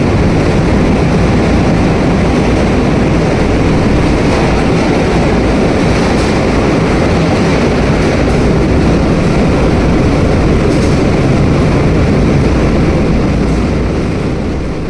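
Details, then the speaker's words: Large hydro turbine turning at about 107 RPM, driving a 56-pole generator at 50 Hz: a heavy, steady, gravel-like crackling roar over a deep rumble; the question is whether it is gravel or cavitation, unconfirmed. "And why do some of these machines sound like they are about to tear themselves apart?"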